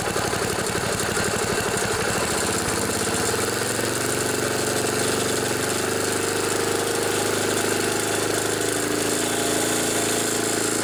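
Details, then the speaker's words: 1974 Sears Craftsman Rotospader rototiller, Tecumseh engine, new carburetor after long barn storage, just tuned with high speed set and air filter off. Settles from an uneven start into a steady, even buzz with no misses or knocks: running right. "this old machine runs and it runs pretty good i'm happy about that turned out pretty nice"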